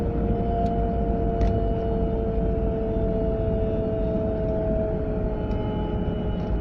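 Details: A 940 cruising at about 30 to 40 mph: a steady two-note mid-pitched whine holds over road rumble from the passenger side; the source is unclear and the cause not yet found.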